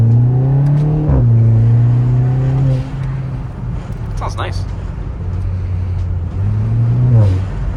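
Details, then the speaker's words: Kia Forte GT (Cerato/K3) in sport mode after disabling the fake engine-sound speaker under the engine bay; RaceChip S, BPV delete, MBRP axle-back, aFe Stage 2 intake. Deep, even exhaust climbs and falls smoothly with each blip, no synthetic tone; normal revving. "all right guys as you can hear we are in sport mode and zero artificial sound that is straight up coming from the beautiful beautiful exhaust"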